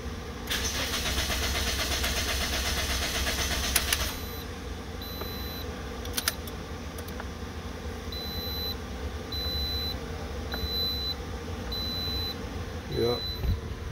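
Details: 2009 Toyota Matrix, replaced engine computer, code B2799 immobilizer, security light still flashing after 30-minute programming attempt: starter cranks steadily about four seconds, engine never catches, then repeating chime; crank, no start.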